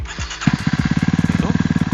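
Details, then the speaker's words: Kawasaki KLX 230R with BRT Juken 5+ aftermarket ECU, started after waiting for fuel pump to stop: catches into quick even raised idle, about fifteen firm pulses a second, dropping to set idle after 5-6 seconds; normal cold-start fast idle. "Nah, kurang lebih 5-6 detik RPM akan turun tinggi, lalu dia akan masuk ke RPM yang kita setting. Nah, kedengeran kan?"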